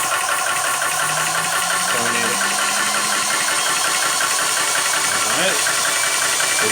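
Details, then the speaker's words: Vevor PCP high-pressure air compressor running again after repair: steady, loud, even hissing roar with a constant high note, no knocks or stumbles. Main noise comes from over the piston head. "running [Laughter] and voila back in business with the bevel"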